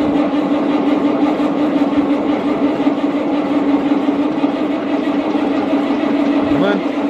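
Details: Massey Ferguson 40 diesel combine, about 1996, sat 3 years, just revived after fuel system bleeding: steady even drone with no misses or knocks, running on its own tank, slight smoke expected to clear; normal running.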